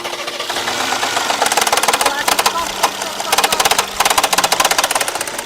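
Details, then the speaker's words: Mercedes-Benz S400 petrol engine on cold start rattling in quick clattering bursts from a worn camshaft adjuster gear with pressure-loss wear confirmed by scan; fixing it cured the noise. "听声音8、9不离十，证实齿轮有问题。我们上电脑检测也是证实齿轮出现泄压磨损的情况。"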